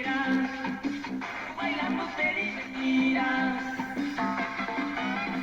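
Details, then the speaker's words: 1945 RCA Victor Model 56X3 series-filament tube radio playing, with clear, steady music and no hum, crackle or fading; receiving normally. "okay well that proves the point uh everything's working fine"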